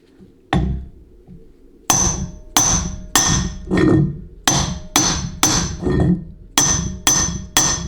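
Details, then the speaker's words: 700R4 transmission rebuild, case assembly: about a dozen medium hammer smacks driving the piston into the case bore, ringing metallic, the last one flatter and duller, showing it is fully seated. "Now you hear that last smack, how flat it sounded relative to all the others. Okay, that's how you know it's fully seated."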